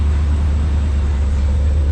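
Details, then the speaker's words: OBS truck after a top-end rebuild, coolant filled, all gauges working, exhaust not yet fitted: deep, smooth, very even low rumble, barely audible, no ticks or misses; a healthy quiet idle. "Nothing. barely hear it. Now, exhaust is next, everybody."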